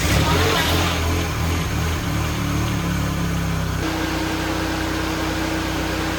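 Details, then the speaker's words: Citroen DS3 after engine swap, first start after oil fill, previously oil and coolant mixing; catches and settles into a steady, even idle with no knocks, ticks or rattles; sounds healthy; engine light was already on. "Sounds good. Anyway, we just got to make sure everything's okay now."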